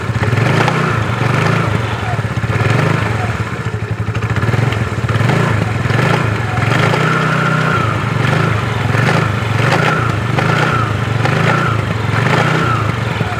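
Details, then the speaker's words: Yamaha Mio scooter CVT, engine revved by throttle blips: coarse rattling knock rising with revs, rough noise loudest on throttle; CVT knocking, source unconfirmed. "Oke jadi seperti itu guys bunyinya dia bunyi kasar kalau di gas sangat terdengar bunyi seperti tadi"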